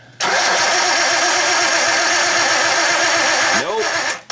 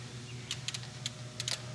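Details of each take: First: R32 Skyline with an RB25 harness converted to RB20, cranked after about 4 years sitting: the starter spins steadily for about three seconds but it never catches, no spark; coil packs and wiring tested good, cam angle sensor suspected next. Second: Nissan R32 Skyline, RB25 harness converted to RB20, not run for 4 years and failing to start: cranking with engine not running, light consistent clicks of fuel injectors firing over a low hum, but the coils are not firing.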